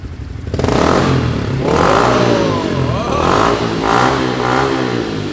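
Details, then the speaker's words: Motorcycle with Yoshimura exhaust, warmed up after the high idle ends, blipping from idle through several sharp, crisp revs and dropping back smoothly; pulls evenly, healthy normal revving. "She's got a little purr to her. Like it. I will say though, these bikes stock, like the exhaust doesn't sound bad on them."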